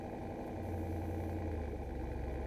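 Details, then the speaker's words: Truck with automatic transmission, slowing to a stop: idle hangs at a steady, slightly raised hum instead of dropping, returning to normal at about 2 mph. "As soon as you get down to like 2 miles an hour, it's fine. Glug, glug, glug, glug."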